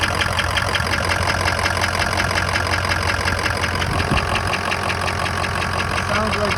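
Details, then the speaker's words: 2003 Ford F-250 6.0 diesel at idle: soft regular ticking knock just under three per second, right side near alternator; mechanic placed it near injectors above pistons, not loud but new; source unconfirmed. "He said it's coming from a location on top of where the pistons are. That he said that's where the knock is coming from. It's not loud, but it is noticeable cuz I never heard it before."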